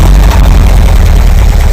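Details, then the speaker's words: Air-cooled VW 2-litre flat-four in a bus after a top-end rebuild, 2,000 km since, timing checked; vacuum advance hose refitted after blanking, engine settles to a deep, even, steady idle around 800 rpm, not yet warm. Normal idle. "Take the blanker off. Put the vacuum back on, and it'll run a little bit."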